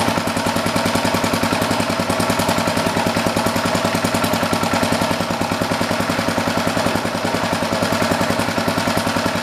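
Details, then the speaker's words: Old rototiller's Briggs & Stratton single-cylinder engine, with the air filter back on, putters at about three and a half even firing beats per second, steady with no stumbles; normal idle. "cool sounds real good I'm gonna put it outside here quick and just let it run for a while let it burn off whatever will sit"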